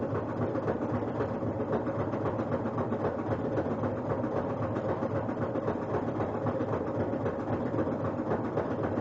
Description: it seems to make a loud noise during spin cycle, almost as if its hitting something or a belt maybe touching something.